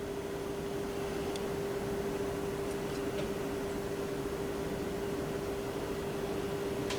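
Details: Magnavox 3FM02100 (chassis 6502-00) AM/FM tube radio at first power-up at full power through an isolation transformer; steady unchanging mid-pitched howl over hiss, serious oscillation; owner first suspected a bad solder joint, traced to a dirty volume control.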